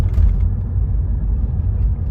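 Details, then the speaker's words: 2015 Renault Megane 3 / Fluence 1.5 dCi diesel on a road test after replacing the hard diesel return hose with a softer one; steady engine and road rumble, no droning hum when coasting, braking or accelerating. "ult yok Ses tamamen kesildi frene basıyorum Şu an hiç bir ult yok Biraz da gaz veriyorum şimdi gene ses yok"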